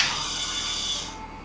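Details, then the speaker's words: Normal fuel pump prime at key-on on a custom Bonneville land-speed bike with turbo Suzuki GSXR 998cc engine and MaxxECU, during electrical diagnostics before first start: high steady electric whir about a second, cutting off cleanly; boost solenoids also click. "we can hear the fuel pump priming."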